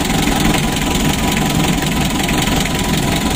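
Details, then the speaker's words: Mitsubishi L300 diesel at hot idle: lumpy, uneven heavy shaking beat. Severe compression leak bubbling into the radiator; suspected head gasket or engine problem. "dan jelasnya ada kebocoran kompresi sangat parah sekali bisa kita analisa dari paking dieselnya ataupun dieselnya yang bermasalah lalu yang kedua mesinnya goncang parah seperti ini mesinnya kasar"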